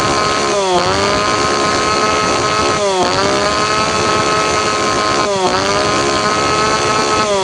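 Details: Tanaka PowerMate PMS340 two-stroke pruning saw, cold engine, after fuel delivery system repair (previously would not rev up); holds high revs, dipping and climbing back about every 2.5 seconds, responding cleanly to throttle.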